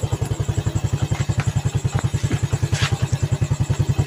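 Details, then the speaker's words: Yamaha Vega ZR after piston and camshaft modification and valve guide replacement, engine warm, no longer smoking: even solid single-cylinder thump, no knocks or rattles; normal idle. "Suaranya sudah mantep dan nggak ngebul."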